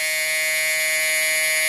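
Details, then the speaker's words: New power window motor on a GM G-body, bench-powered with jumper cables: a steady high-pitched electric hum that never speeds up, as if straining against a bind; the motor jams and must be jerked loose, cause not confirmed. "pay attention right here and you going to hear the noise where it sounds like it's jamming up right"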